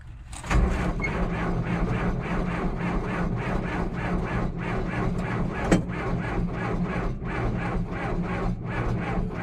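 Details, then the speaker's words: Auction machine cranked at about 32°F on a weak battery: sluggish starter chug at roughly two to three strokes per second, never catches; suspected it would fire with more battery power, not confirmed. "it wants to i think it would fire if it had a little more juice the battery's pretty weak it's about 32 degrees out here"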